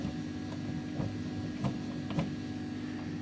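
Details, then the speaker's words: Silhouette Cameo 3 loading/unloading roller motor: faint light clicks about twice a second over steady motor hum; motor shaft has wobble, gears misaligned, to be re-spaced with thin paper so they barely touch. "so the motor spins freely with no sticking or anything once it's not attached to anything but you can wobble the shaft in the motor this he spins freely also but when together although it has sort of freed up a bit dig in here it has a bit of that noise in it"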